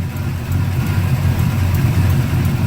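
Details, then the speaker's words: LS-swapped Dodge truck that sat in the garage, idling deep and slightly uneven, fussy at lower idle, with a faint sharp tick about three per second from an exhaust leak at the shorty header donut gasket, repaired about four times. "God, that exhaust tick is fucking annoying. Never get these headers, ever. Never get shorty headers."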